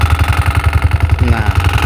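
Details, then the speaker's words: New Honda Supra underbone motorcycle, 87 days old, at idle: fast even buzz on each firing pulse from the license plate bracket, bolts tight but mount not solid; no vibration without the plate fitted. "Ah, nah ini kalau enggak dipasang plat nomornya itu pasti enggak ada getaran, Guys."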